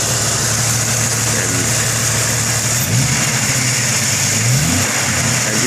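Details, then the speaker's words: Jeep 4.0 six, new spark plugs, upgraded 99-up injectors, 93 octane, stock ignition, previously popping and backfiring: steady idle with two light throttle blips rising and settling cleanly, no stumbles; alive again. "B I'm barely giving a throttle oh yeah she's alive again"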